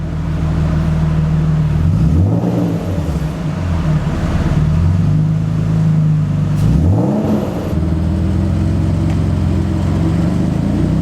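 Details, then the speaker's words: Nissan 350Z V6 after throttle body and MAF cleaning and idle relearn fixed stalling above 1,500 rpm, revved repeatedly to 3000 rpm while warming, not overheating: pitch rising and falling cleanly, no knocks or misses; normal revving. "it's not overheating as of right now we've been shooting up to 3000 rpms a couple times"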